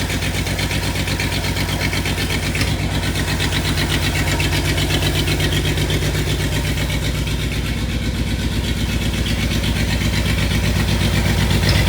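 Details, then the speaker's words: Long, uneven cranking and catching, about four beats a second, before the V8 of a long-sitting '62 Studebaker settles into a lumpy idle. This car is known to start hard. "All right, let's hook this ignition up and get rolling. This thing starts hard, doesn't"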